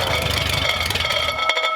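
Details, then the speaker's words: Hopped-up flathead for a 1932 roadster on first runs: engine catches but a high metallic whine with chatter keeps ringing; the starter is hanging up and not kicking out. "sounds like the starter's hanging up it does it's kicking the starter isn't kicking out"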